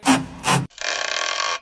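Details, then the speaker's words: Two short rasping rubs then a longer rubbery creak from the sway bar (stabilizer) bushings as the bar twists. "这是平衡杆胶套在响，这个声音。"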